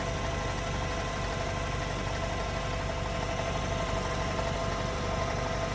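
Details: VW Golf R Mk7.5 cold start: busy, irregular ticking chatter like cam chatter over a low diesel-like clatter, with an underlying knock of unknown origin.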